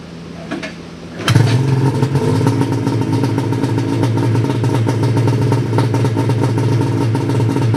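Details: Ski-Doo 583 Summit two-stroke after HAC failure and delete, rejetted in below-zero cold with needle clips moved from third to second position and new mains (350/340): fires sharply, settles to steady busy idle with crisp popping; runs normally.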